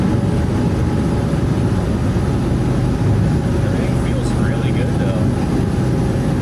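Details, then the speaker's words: Skoolie school bus at highway speed, up to 73 mph, after swapping in new rear differential gears for lower cruise rpm: steady low road and driveline drone, no gear whine; new gears much quieter than the old ones. "Oh, those new gears are so much quieter. It made such a big difference on how quiet it is in the bus now."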